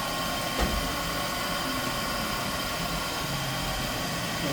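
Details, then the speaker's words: 1999 Fadal VMC 4020A CNC vertical machining center, recently gone through, ball screws about 5 years old. Even, steady hum with a light airy hiss and no knocking, grinding or rumble; spindle bearings are quiet and the machine runs normally. "can hear that it's quiet. Yeah. So no jerking or anything of the bearings, nothing like that."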